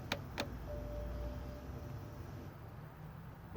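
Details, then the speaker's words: 2007 BMW X5 3.0si, battery seeming good, start attempt: sharp clicks from below with brief hum between them and no crank; diagnosed as a bad starter, replaced after removing the intake manifold; fuel pump relay recall also noted. "So just to show you what a bad starter sounds like, because that's what we got in this situation, I'm going to go ahead and have my wife try and start the car right now. And you can hear it click down there."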